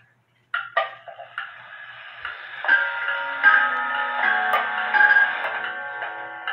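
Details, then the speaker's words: Hamilton grandfather clock, quarter-past Westminster chime: four clear bell notes ring in order, evenly spaced (eight at half, twelve at three-quarters, full on the hour); chime working properly. "then on the half hour it's going to play eight and then on the 3/4 of the hour it's going to play 12 then on the hour it's going to play the full thing"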